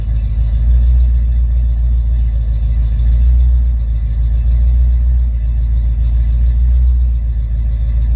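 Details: Ford Mustang with a rebuilt A9L mass air flow ECU (E9ZF-12A650-AA) on test after a no-start: a deep, even V8 rumble with no stumbles or surging. Normal idle.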